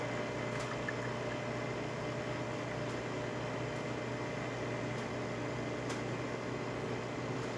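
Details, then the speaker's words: Jura Impressa F9 espresso machine after a new encoder was fitted; it had error 8, with the brew unit stuck and unable to reach its home or work position. Grinder runs, the brew unit cycles, then a quiet steady pump hum with faint clicks: normal brewing. "as you can hear the grinder is definitely grinding coffee going into the bridge unit is going from the on position into the work position and then going into structure mode which strikes the coffee as you see right there steady stream coming out of the machine great"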